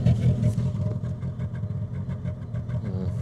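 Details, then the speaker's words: Suzuki Grand Vitara part-exchange with a hidden misfire: deep, choppy exhaust beat stumbling irregularly as one cylinder isn't firing; strong petrol smell, owner suspects unburned petrol coming out the exhaust. Cylinder misfire. "hopefully it's not unburned petrol but it does stin of petrol cuz that's basically what's happening is there's a bit of unburned petrol because it's not"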